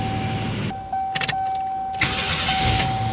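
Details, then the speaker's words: GM van with a newly fitted starter, alternator belt removed: starter whirs, engine catches cleanly and settles into a smooth, even idle without grinding or stumbling; healthy start. "Don't have an alternator hooked up right now, so I took the belt off, but we should be able to fire it up. Ooh, smooth."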